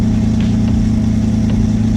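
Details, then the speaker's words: Twin-engine Mazda MX3 during idle fuel tuning on 87 pump gas, after enriching past the lean miss point: smooth, even idle with no misses; idling well, perhaps slightly high. "Now it's idling pretty good."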